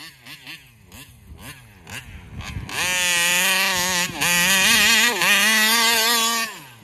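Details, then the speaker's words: Taylor RC 35cc reed-valve two-stroke in the Punisher RC car during tuning: at wide-open throttle it stumbles and dips twice before recovering; flutter at WOT, cause unclear. Owner plans to swap the carburetor to try to cure it. "been able to get rid of that flutter on the upper end"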